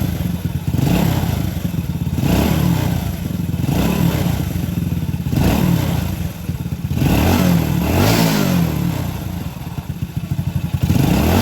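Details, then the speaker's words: Honda Supra motorcycle engine, reassembled, runs smoothly with throttle rises and no clatter, only a faint hum from a very tight timing chain, judged not a problem. "Oke, suaranya halus tapi ada suara dengungan. Oke, baiklah. Ini sudah sangat lancar. Namun suara dengung ini muncul karena rantai timing sangat kencang."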